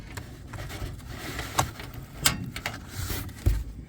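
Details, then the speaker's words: Single-burner propane curbside stove: turning the lever on gives gas hiss and immediate sharp igniter clicks at the bottom, and the burner lights as it should; normal ignition. "When you turn it on with this lever, there's at the very bottom, it clicks. Make sure that click goes right away."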